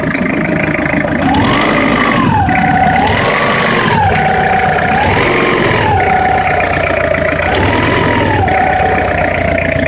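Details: Citroën XM 2.5 TD (DK5) diesel blipped four times from idle, pitch swelling and falling each rev, with a persistent rough clatter underneath; abnormal engine noise, cause not pinned down.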